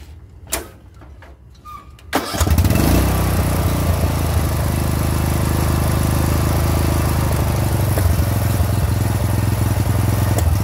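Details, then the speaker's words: Old Murray riding mower, 13.5 hp Briggs & Stratton overhead-valve engine, about 30 years old, after new carburetor fitted: cranks, catches and runs steady and even with no popping or backfiring. "that sounds much better let's just take it for a ride let's see what happens"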